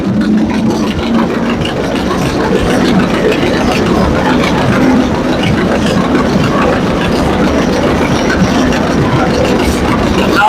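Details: McCormick-Deering 22-36 tractor from the early 1930s, back running after being a little stiff and loosened up; steady, unbroken low chugging with no knocks or misses over ten seconds, running smoothly and healthy: normal running.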